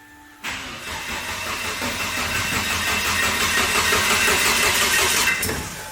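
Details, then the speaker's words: "PleasureEvo", engine damaged at the track after the timing belt jumped a couple of teeth: sluggish, dragging cranking about three turns a second for five seconds without catching; low battery, jump pack needed. "yeah the battery's low let's get a jump pack on it"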